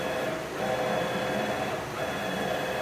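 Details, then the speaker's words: CNC machine Z-axis after ball screw nut realignment, traversing up and down at full speed (about 200 in/min) while the plate bolts are tightened: an even mid-pitched whir with no rough grinding. Smooth travel. "So now I can see it's already sounding better. So we just move it up and down at the full speed a few times"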